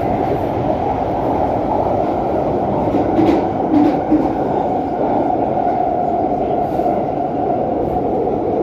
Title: Extremely loud noise on the Jubilee line